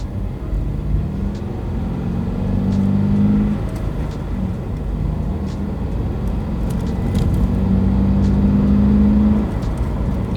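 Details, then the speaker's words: 2022 Subaru BRZ, rear-wheel drive, driving: steady engine drone swelling with throttle and faint clicky whine under road noise. Normal mechanical noise, reportedly from the flywheel and power transfer through transmission and drivetrain. "it makes these kind of weird clicky whiny noises, but that's normal. Apparently it's from the flywheel and the fact that this is rear-wheel drive, and just how this car like transfers the power from the motor down the transmission and the drivetrain and all that"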